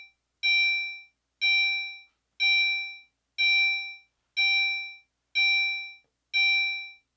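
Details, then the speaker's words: Commander 3 fire alarm panel coded for continuous chime and activated with the drill button: a clean single ding about once a second, evenly spaced; the chime signal is working normally. "okay so as you can hear it does ding once per second there so nothing terribly exciting but it is still pleasant compared to the other tones here"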